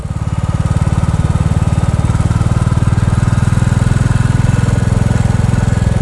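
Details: New Bullet single-cylinder under load with a more open DNA air filter cover fitted and the document holder removed: deep, even thumping with a slight woody buzz the owner suspected; comments concluded it is normal for this engine.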